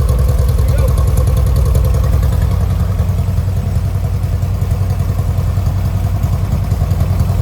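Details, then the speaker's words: 1970 VW Westfalia air-cooled flat-four with new Weber 40 carburetors and belt just tightened: steady, even idle chatter with no miss or knock; 50 psi oil pressure, 4 psi fuel; healthy. "sounds really, really good. Those 40s are working really good."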